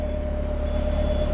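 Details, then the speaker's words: Perkins 4.108M four-cylinder 50 hp marine diesel, restarted after about six years, started right up: steady smooth low idle rumble, constant pitch, no knocks or misses; oil pressure good, temperature good; healthy. "sounds good oh that sounds great started right up too I haven't ran it in five years or six years"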